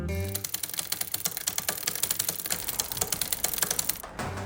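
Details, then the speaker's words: Bicycle gears clicking rapidly and unevenly while pedalling; possible causes given as component incompatibility, chain wear or poor lubrication, not confirmed. "ruidos en los cambios pueden ser por falta de compatibilidad desgaste de cadena y mala lubricación"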